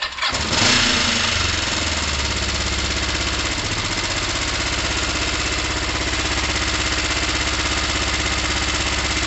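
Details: Motorcycle on choke, started after both quite-black plugs, fouled with fuel and oil, were cleaned: fires up, then a lumpy, uneven beat with a ragged exhaust note; rough running, not overheating.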